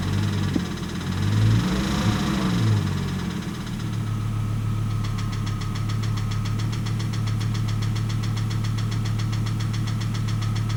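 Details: 1998 Volvo S70 T5 at idle with a sharp, regular knock about four times a second, first taken for ticking, that turned out to be rod knock.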